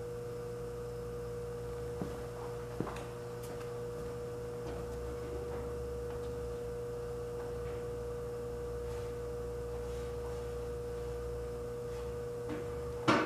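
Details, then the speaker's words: Frigidaire 5400426 antique fridge compressor running after a test refrigerant charge, drawing about 2.3 A and without overload protection: clean, steady low hum with no knocks or rattles; the evaporator is already getting cold. Normal compressor running. "The evaporator is already getting cold. I'm so delighted."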